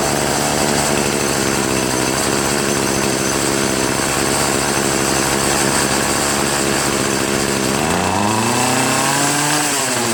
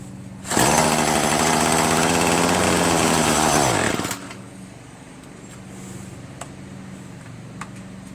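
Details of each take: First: Troy-Bilt TB70SS 33cc two-stroke trimmer, unused for three years, on fresh gas-oil mix on a 37°F day, after adjusting the carb hi/lo mixture screws to cure bogging at high throttle: strong steady full-throttle scream and clean return to idle. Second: Troy-Bilt TB70SS 33cc two-stroke string trimmer, unused about three years, on fresh gas-oil mix: revs hard and steady, then the pitch sags and drops off at high throttle; it bogs down, needing high/low carburettor mixture screw adjustment.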